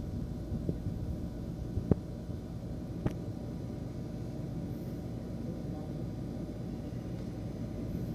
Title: THE CPU FAN WAS GETTING LOUD NOISE AND VIBRATING